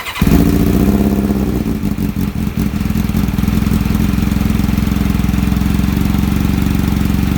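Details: Kawasaki ZX7R after carb cleaning for a faltering idle circuit: starts quickly and settles into a steady, even cold idle while warming, far better than before. Idle screw works again; owner assumes debris was in the idle circuit.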